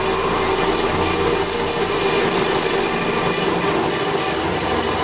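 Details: Tipton EFF-205-FA centrifugal finishing system (1995, 1044 hours), magnetic separator vibrator motor table running: steady even rasping hiss, no knocks or surges; vibrator table running normally.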